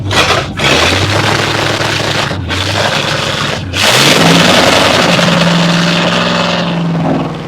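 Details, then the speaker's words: 1941 Ford Flathead V8 out of the car, clutch removed, running on center Stromberg 94 carburetor only, oil filter bypass removed, 60 psi oil pressure: blips then smooth steady idle, no vibration or knocking; customer's shaking and missing was not the engine. "so we'll start up and run a little [Music] bit I don't it don't vibrate at all oh smooth"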